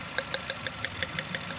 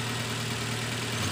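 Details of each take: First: Nissan X-Trail at idle, heard at the exhaust: sharp ticking about three a second over an uneven, stumbling idle. The misfire is traced to worn iridium spark plugs past their limit, before replacement. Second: Nissan X-Trail T31 2.5 XC with Xtronic CVT after spark plug replacement: steady even idle, smooth low hum, no misses or shake; earlier idle vibration and coughing gone, blamed on worn-out iridium spark plugs.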